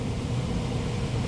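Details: PSC blower motor replacing an ECM motor, wired with relay and capacitor, thermostat bypassed for test: steady even low hum with smooth airy rush, no knocks or rubbing; rotation correct, normal operation.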